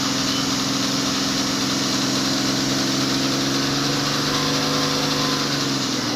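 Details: BMW at idle: loud steady idle with a dense, busy metallic clatter layered over the engine note; timing chain noise suspected, not confirmed.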